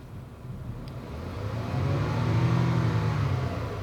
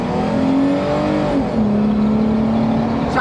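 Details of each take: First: Jeep Wrangler off-road build, after swapping coils one and five: engine revs from idle with a slightly uneven stumbling beat; cylinder one misfire count keeps climbing while five shows none, so the coil is ruled out. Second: Off-road Jeep Wrangler on giant tires, earlier felt misfiring at idle, traction control off: under hard acceleration engine pulls smoothly with steady climbing drone and wind noise; sounds healthy, no misfire stumble.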